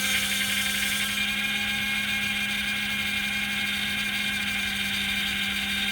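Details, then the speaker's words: 2004 Buick Century at a police auction, just started with a jump box: sharp, steady high-pitched squeal over a quiet idle, constant pitch; slipping accessory belt squeal, which may quiet down. "Start it up with a jump. I hear a belt squealing. Maybe a little quiet down."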